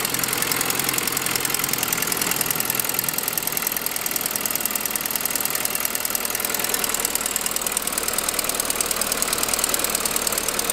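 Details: 2006 Saab 9-5 idling: sharp rapid lifter-like ticking following engine speed; actually an exhaust manifold leak from broken forwardmost exhaust stud.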